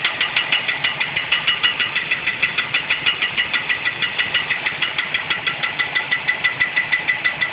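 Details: 1969 Ford Mustang coupe with automatic transmission, first start after engine install: a sharp metallic ringing tick about three times a second over the idle; cause unidentified.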